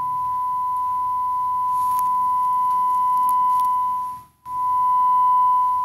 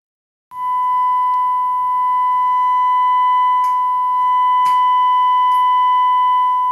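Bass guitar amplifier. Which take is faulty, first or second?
second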